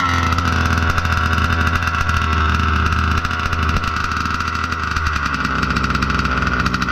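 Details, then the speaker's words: Budget billet Baja 5B RC two-stroke, first fire of build, idle brought back down: steady slightly burbly even idle, no misses or surging; no more blow-by, normal slightly rich idle. "We'll let her idle for 15 minutes. Doesn't look like there's any more blow by. Nice and rich. Just a little bit."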